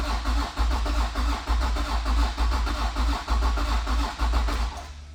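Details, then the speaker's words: Modified turbocharged 90s Honda NSX V6 that sat 10 years, first start attempt: steady starter cranking about one pulse per second, never catches; fuel pump runs and has gas, owner suspects injectors stuck shut after a decade unfired, no fuel delivered. "my first inclination is that the culprit here is going to be these injectors these have not been fired in 10 years I'm going to guess that every single one of them is stuck shut"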